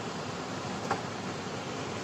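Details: 2005 Ford Explorer with no heat, engine off: two sharp clicks about a second apart in a quiet cabin when the climate control is moved; the heater blend door actuator is failing.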